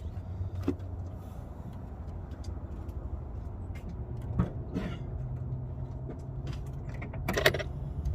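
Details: 2005 Chevy Tahoe idling after replacing a leaking vacuum line. It had shaken while driving and flashed the check engine light on the highway. Low steady idle rumble with no hiss or stumble, light clicks nearby; normal smooth idle, problem fixed.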